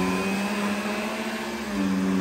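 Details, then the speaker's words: Riccar R40P vacuum after second PCB replacement, lowered fully for strong brush roll pressure: steady low drone dips under load and recovers without cutting out; brush roll keeps running, no shutoff. "My pressure sensor working pretty hard. I got a lot of things in and it's not shutting off."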